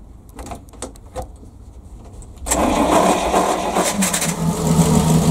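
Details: PAZ-672 bus engine after valve adjustment, with valve covers fitted: starts and settles into steady, even low idle, previous knock gone, no tapping or knocking; normal idle.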